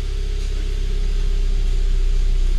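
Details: Hyundai Tucson that had cranked without starting and had earlier had an ECU repair for no RPM response, now reset and running: deep, even idle with a steady hum and no misses, knocks or hunting. The engine is settled and idling normally.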